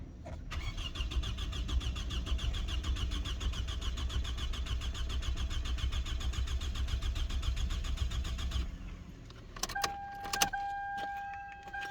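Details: Toyota Camry 2.4 engine after full rebuild, cranked with coils not yet connected to check oil pressure: even starter churn at about two pulses a second for eight seconds, never firing; normal cranking with ignition disabled.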